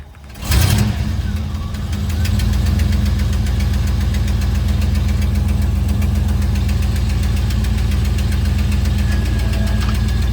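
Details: Pontiac Trans Am V8 starting for the first time in cold weather: after it catches, a quick steady tick over the low idle rumble, keeping pace with the engine. Ticking at cold idle; a worn exhaust manifold gasket is suspected as a common culprit.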